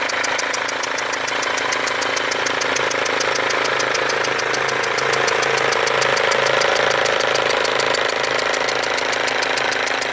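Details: Mercedes W204 diesel at idle with a leaking fuel injector: sharp, fast, even ticking about four per second over a hissy whistle from the injector area, with burnt-on diesel residue around the leaking injector.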